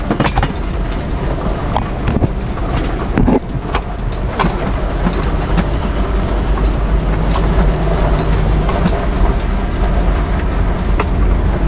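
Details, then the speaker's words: Test drive after fitting neoprene rubber pads with mounting tape; steady low road and tyre rumble with light knocks from tools in back, no squeak or creak from the roof; squeak fixed. "Would you look at that? No squeaks. That is how you delete your squeaks from your rooftop tent on any car."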